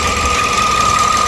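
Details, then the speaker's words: 2013 Toyota Vios Limo after right engine mount and stabilizer link replaced, fan belt refitted; steady thin crying whine above a smooth idle, also a noise after shutoff; a part slightly noisy by hand, most likely the water pump. "Ya pokoknya dia ada suara kayak begitu. Bukan dengung sih, kalau dengung kan ya dengung, kalau ini bukan, kayak apa ya, kayak nangis gitu."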